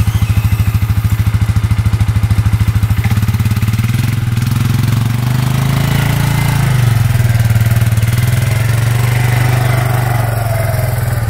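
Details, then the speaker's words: Suzuki Eiger 4x4 ATV that wouldn't move, after replacing the drive belt (suspected chewed by a misfitted metal gasket, replaced with gasket maker): steady single-cylinder thumping pulling away under load in forward, low, high and reverse, no slipping or chatter; normal running. "All right, forward, low, high, reverse, all work. So it was the belt the whole time."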